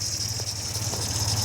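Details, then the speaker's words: 1955 MG Magnette ZA with alternator fitted, key-and-button start: smooth even low idle with steady beat, no knocks or misses, ticking over sweetly; normal idle. "Ticking over nicely, literally one press on there, and away she runs. Sounding nice and sweet."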